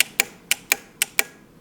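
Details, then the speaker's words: CB750 chopper (1975/76 harness) starter solenoid bench-tested by jumping power with a cable: six crisp clicks at uneven gaps, no buzzing or chatter; solenoid works, fault is missing signal from the harness wires. "And then use our cable here. And you can hear the solenoid collapsing."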